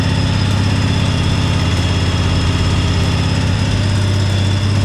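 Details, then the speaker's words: 1998 Craftsman GT garden tractor, hydro, 46-inch deck, started on choke after fresh gas and a different battery: deep, even thumping idle at steady beat, no ticking or misses, smooth like a Harley V-twin; normal idle. "this thing has a nice sound to it really sounds like a good v2 like a harley v twins nice and smooth"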